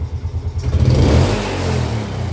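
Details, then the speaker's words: Yamaha Jupiter Z motorcycle that stalls at idle and feels heavy on climbs: a sharp throttle blip gives a heavy, lazy rev rise that falls back unevenly and it tends to die; the power feels heavy, suspected low compression. "kalau dig gas sentak seperti itu kayaknya ada yang aneh seperti berat tenaganya ya teman-teman"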